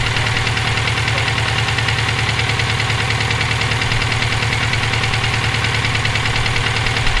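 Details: Subaru EJ257 at idle, sounding like this for about 17k miles since purchase: a constant hard metallic knock, roughly 85 per minute. The owner wonders whether it is rod knock, a spun bearing or valve lash; cause unconfirmed.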